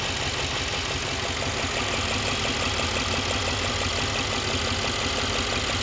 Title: pretty weird noise on 2016 c63s amg engine